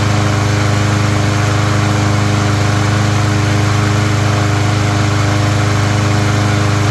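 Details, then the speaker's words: Troy-Bilt mower after its plastic carburetor was cleaned of rusty water and the fuel system flushed, on ethanol-free fuel with no cover or air filter: small single-cylinder engine holds a strong, even beat with no surging or sputter. "there you go. It's that simple. Clean out one of the plastic carburetors, no problem."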